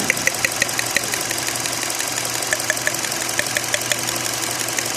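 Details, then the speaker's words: 2016 petrol car idling with sharp, slightly uneven ticks about twice a second: misfire because cylinder 4 ignition coil is leaking current to the engine ground and not working; worn injector O-rings also noted as a possible cause. "उसके बाद आपकी अगर कइल leak है तो यह इसकी चार नंबर कइल है जो काम नहीं कर रही ी देख सकते हैं"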